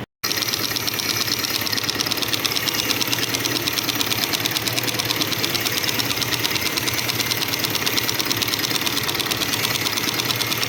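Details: Shineray single-cylinder motorcycle at idle gives a busy clutch rattle of about three clacks a second. Worn tabs on the clutch plates leave play, so the whole clutch assembly knocks.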